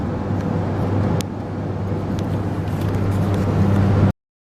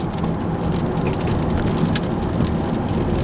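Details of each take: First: Ford F150 while driving: a steady low drone under the road noise, louder when turning right. The owner identifies it as a noisy bearing. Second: Ford F150 after a left front bearing fix with a new rotor, hard left turn loading that bearing: steady tire and road rumble, no growl or hum; earlier bearing noise came on right turns.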